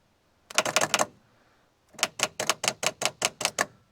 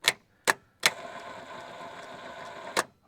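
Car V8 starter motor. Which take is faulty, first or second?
first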